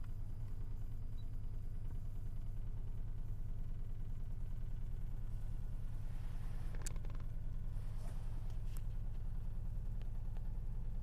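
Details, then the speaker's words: Car idling with a dull low thump about three times a second under the engine hum. The mirror shakes and the steering wheel vibrates, and the knock is clearly felt; source unclear. "Зеркало дрожит. На руле вибрация. Не знаю, слышно, нет этот стук. Долбит прям ощутимо."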